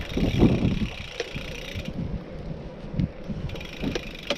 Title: Checkpoint ALR 5 Era Gravel Bike strange clicking noise when pedalling